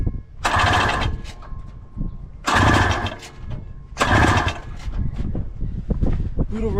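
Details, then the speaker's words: 1982 Honda Odyssey (FL250) whose engine had been frozen and full of water, with the plugs flooded: three short start attempts spin freely and lightly without firing. The engine later showed metal in the exhaust and essentially no compression. "I think it might have been a compression thing. There's like no compression."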